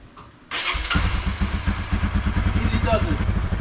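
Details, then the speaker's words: Idle of a 2021 Honda CRF250F just after an oil change: engine catches, then settles into a quick, even putter with no knocks or rattles, nice and quiet; normal healthy idle. "nice and quiet"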